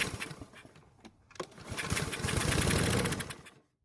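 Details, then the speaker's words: Troy-Bilt lawn mower, not prepped for winter storage, fresh gasoline added directly into carb after spark confirmed: a few sputters, a couple seconds of ragged running, then dies; runs only on the prime, cause not confirmed. "So this time, with the help of some fresh gasoline in the carb, we got to hear it run for a couple of seconds."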